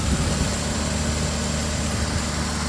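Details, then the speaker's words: 1966 Renault Dauphine small four-cylinder, fresh fuel, exhaust-heated automatic choke warming up, idling: steady, even low rumble, no stumbles or knocks, some smoke; runs pretty good, healthy idle. "Runs pretty good. Some smoke. Sounds good. It's got that automatic choke."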